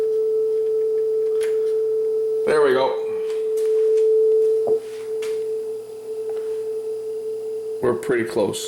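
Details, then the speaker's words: Sanyo dual cassette deck after motor speed adjustment, playing a test tone: clean steady tone holds at concert A with no wavering or drift; tape speed is correct. "i would say that that's on frequency so let's try the other deck now"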